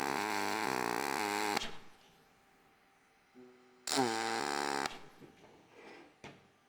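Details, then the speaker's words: Everlast 253DPi MIG welding aluminium, 0.045 4943 wire, on dual pulse at one pulse per second, tacking plates; short arc bursts with crackling buzz stepping between high and low tone in steady rhythm, normal dual-pulse sound. "So, you can really hear that high low with that dual pulse. even just tack and you can hear that."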